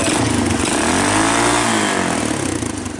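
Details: Honda TRX200SX ATV single-cylinder engine in EZGO golf cart, just fitted with custom muffler: thump revving up and settling back with a few exhaust pops, running evenly; healthy idle and throttle response.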